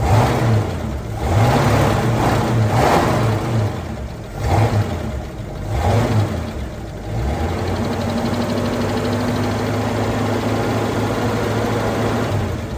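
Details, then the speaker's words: Ford F150 being revved: a light jingly metallic rattle over the exhaust note, somewhere in the exhaust. The source is not found yet; the suspected parts were checked and are tight. "Uh you can hear though there's just a rattle there in the exhaust somewhere."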